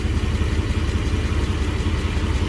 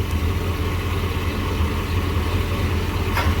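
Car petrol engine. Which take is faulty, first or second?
first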